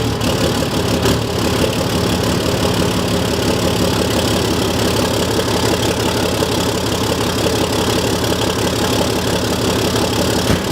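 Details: Diesel truck just after installing and priming a Fleece Performance Power-Flo lift pump, with no leaks: steady, even diesel clatter at idle with no misses or stumbles. Normal idle.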